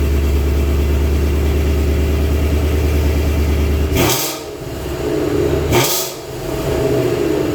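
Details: White Vortech supercharged 2019 Mustang after a burble/decel-pop tune damaged its exhaust: deep steady idle burble, then two sharp blips rising and settling cleanly, no rattle or drone; normal healthy exhaust note.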